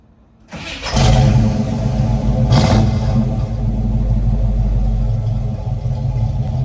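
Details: 1969 Chevrolet Camaro RS/SS convertible, replacement 350 V8, aftermarket carburetor and exhaust, cold start: quick crank, two flares, then steady even V8 idle without misses; always starts right up.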